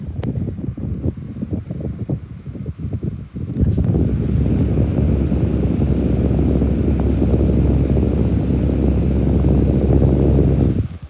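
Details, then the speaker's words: AC desk fan running on high: steady, low, even whoosh with no rattle or tick; quiet, powerful fan, normal operation. "This fan is really quiet, but powerful. Medium. This fan is really quiet as well."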